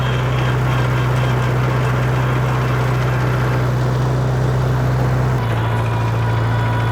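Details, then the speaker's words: 1948 Farmall Cub tractor under way in second gear; low steady drone with a faint regular ticka-ticka tick keeping pace with road speed, other gears and reverse smooth; gearbox ticking in second, cause unknown. "the only only gear I kind of have an issue with is second and kinda has that ticka ticka ticka ticka ticka sound"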